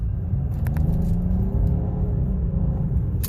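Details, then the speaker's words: 2011 BMW 535i with 5V reference fault causing reduced power, Valvetronic end positions relearned but fault still present: deep, steady rumble pulling cleanly under throttle near 40 mph, no stumble or hesitation; normal acceleration. "Drives fast. See, I was almost going 40 there for a minute. So that's fixed."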